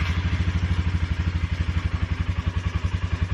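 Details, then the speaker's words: Polaris ATV at steady idle after fitting tubing to stop a long-standing air intake pipe rattle: low even engine thump, no rattle or buzz, running normally. "already improved I'd like it that definitely took care of the issue did not hear any rattling at all from that intake pipe"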